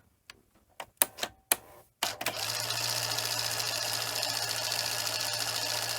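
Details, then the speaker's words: Sony SL-HF100 Beta Hi-Fi Betamax, loading test after cleaning the tape path: scattered clicks, then a steady high motor whir running on without the mechanism catching, consistent with the loading gear slipping on its shaft. "turn it on a that's much better still sounds a little bit funny but oh oh do the gear come off the bottom again"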